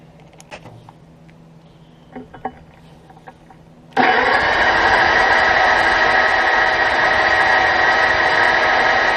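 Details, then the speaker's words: Drill bit recorded by GoPro while drilling: loud, fast, even jackhammer-like hammering buzz as the chisel point bounces in the cut; drill bit chatter. "I said I don't know if you can hear that uh I bet I know how I just to sit you guys on here cuz this GoPro really pick up vibration so you're on this [Applause] and all right it's probably sound like a jackhammer"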